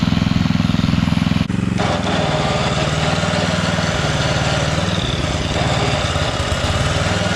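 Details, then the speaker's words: Coleman Powermate 5000-watt generator under load: loud drone with slightly uneven beat, labouring; output only about 80-something volts, not full power, running rough; owner plans a new spark plug, cause unconfirmed. "so for some reason we're not getting full power so yeah on our voltage we're only getting 80 something so definitely not running right"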